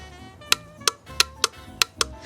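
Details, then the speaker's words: Motorcycle accessory junction box on test: touching the ignition cable to positive makes the relay pull in, and it drops out when the cable is removed. Sharp single clicks about every third of a second; the box is working normally. "that is the sound of the junction box getting electricity and then switching off again when I remove the ignition cable. So we know that the junction box is fully functioning."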